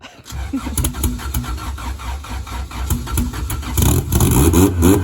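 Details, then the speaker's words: 1993 Civic with fully built sleeved B18C1, forged internals, Pro 1 cams, 6266 turbo, first startup: won't idle on its own, throttle held around 1000 rpm, uneven lumpy running that stumbles and surges; rough idle. "so she's not idling on her own but if i hold around a thousand it's kind of what it sounds like"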